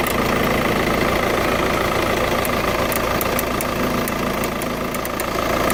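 Diesel idling with a light, fast tick riding over the clatter, roughly four a second and steady; source of the tick unclear.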